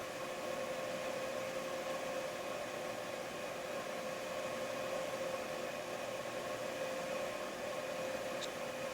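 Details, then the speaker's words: Used Breckwell pellet stove convection (room) fan removed from a P24I, in a pre-shipment test on low speed in open space with a flag on the blades: a steady, even airflow hum with a faint mid-pitch tone and no rubbing, relatively quiet and normal. "so in just open space right now you can hear that it's relatively quiet"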